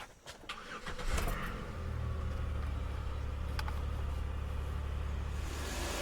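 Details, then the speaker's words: 2011 Chevrolet Impala, sat two months with a dead battery, started on a jump pack: brief cranking, then it catches and settles into a smooth, even idle with no knocks. Normal start. "Oh, we're running. She's smooth as always."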